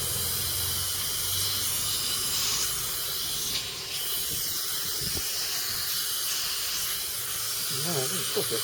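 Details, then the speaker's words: Small Stanley compressor powering a second-hand CP air drill: a steady high hiss of air escaping from a hose fitting that isn't done up tight; a minor fitting leak. "bit of a leak on that one I want to only because it's not done up tight"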